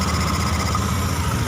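Small single idles smooth and even, with a steady low thrum and no misses or knocks. It is running normally.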